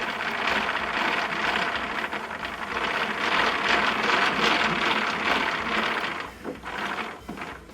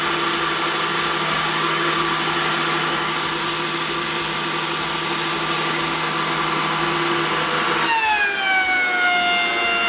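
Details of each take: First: Thickness planer, one of a DeWalt 735 and Craftex CX13HC comparison: a gritty, rasping grind as the cutterhead is cranked down. Rough bearings are suspected, not confirmed. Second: but you heard both of them this one or the DeWalt runs exceptionally smooth even when doing a decent cut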